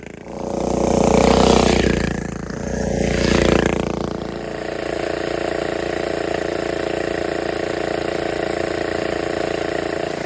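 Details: Donelson Mini Mule vintage minibike, guessed at around 50 years old, first run after new fuel line, fuel shutoff, air filter and kill switch: small single catches, revs up twice, then a steady even idle with no knocks or misses; normal running.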